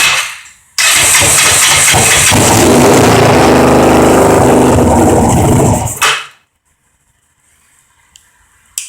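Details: Kawasaki Ninja 500 carbureted bike, not run in three years, after new correctly gapped plugs and reseating a carburetor knocked out of its boot: catches, runs and revs roughly about five seconds then stalls; air box missing, vacuum lines dangling; starter still clanks.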